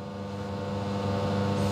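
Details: Serviced custom La Marzocco Linea Mini, no pre-infusion, pulling an espresso after test shots (43 g in 26 s): steady even pump hum holding one pitch under load, no surging or rattling; pump healthy.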